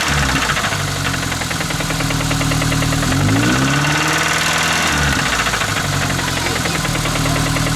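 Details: Pickup truck engine idling with a steady, hard knock of about three raps a second, recorded before adding Lucas Oil Stabilizer to test whether it quiets the knock.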